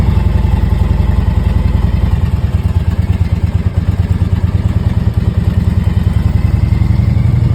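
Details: 2001 Harley Road King Classic at 97,808 miles, cold start after sitting four months with the battery on a charger: a steady, loping V-twin thump at a slow, even idle with no stumbling. A normal cold idle.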